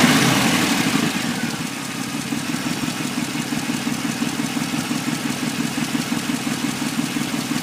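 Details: 1994 Impala SS engine at idle: a steady idle with a regular light tapping about three times a second riding over it. It is an abnormal engine noise whose source is not pinned down.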